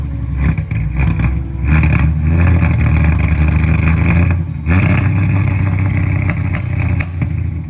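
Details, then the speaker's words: 1973 Triumph TR6 near the end of a restoration, second start attempt after adding gas: deep, even six-cylinder burble revving up and settling back, firing smoothly with no knocks or misses; healthy. "Now that we have gas, we're gonna do a take two. Man, that sounds good."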